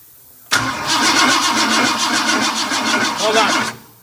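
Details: 1958 Ford F100 cranking after fuel line replacement to get fuel to the carb: steady rhythmic cranking at four to five pulses a second for three seconds without catching.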